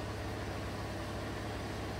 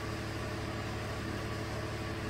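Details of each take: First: 2016 Chevrolet Colorado 3.6L V6 after spark plug replacement and walnut-blast intake valve cleaning for P0300/P0303 cylinder 3 misfire, codes cleared: steady, even smooth idle, no stumbles or skips, engine running cleanly; normal idle. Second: 2016 Chevy Colorado 3.6L V6 with P0300/P0303 history (cylinder 3 misfires), idling during diagnosis before repair: steady low hum, even beat, no skips; no active misfire.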